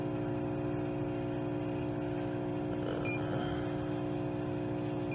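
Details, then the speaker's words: Roadside-salvaged microwave test-run with a quarter cup of water: steady droning hum with rough uneven flutter while running; the cooling fan is bad, transformer sounds working. "Quit defrost. This one's got a bad fan."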